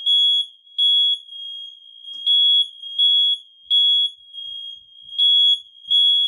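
Loud high-pitched beeps, about half a second each, repeat in a steady pattern from a quiet room: the smoke alarm sounds properly on test.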